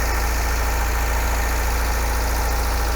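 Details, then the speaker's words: MGB engine after service, tappet adjustment and carb work, warmed up before its first drive: smooth, even low idle, about two pulses a second, no knocks or misses; normal healthy warm idle. "sounds good so the clutch has started working"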